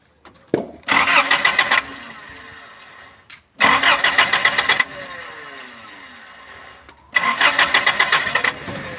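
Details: 3RZ Toyota engine, morning hard start: three bursts of steady cranking without firing; faulty thermo (coolant temperature) sensor, also causing rough idle.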